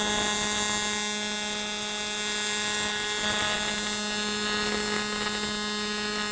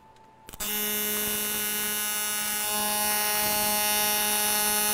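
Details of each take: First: ESAB Rebel EMP 205ic running an AC TIG bead on aluminum; steady even electric buzz with high hiss through the bead; amperage slightly low, welder says it could use more heat. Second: TIG welding scrap aluminum plate in AC; steady even buzz with fixed tone from arc strike, caused by switching between positive and negative sides of the AC wave; normal AC TIG arc.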